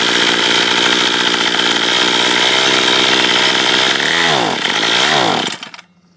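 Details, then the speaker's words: Troy-Bilt TB32EC two-stroke trimmer bogs when given gas at the third (open choke) position: uneven scream, pitch sags and surges, then dies; mis-set carburetor, possibly set for higher altitude, first fix to try is turning the adjustment screw counterclockwise. "So, you bought a Troybuilt TB32EC and it bogs down when you try and put it in the third position here and uh give it gas."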